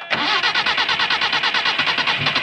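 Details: 1980 Subaru Brat with Weber carburettor, being bottle-fed fuel poured in while cranking with throttle held: fast even cranking at about nine pulses a second that never catches; fuel starvation, the fuel pump may be at fault.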